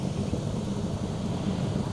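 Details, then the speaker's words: 200cc Chinese Honda-clone quad bike, front wheel spun by hand with the mic near the hub and wind noise: low steady rumble from a wobbling wheel with too much free play in the bearing; wheel bearing rumble. "you can hear it rumbling away there it's not supposed to do that if it's not quiet it means you've got too much free pay in the bearing"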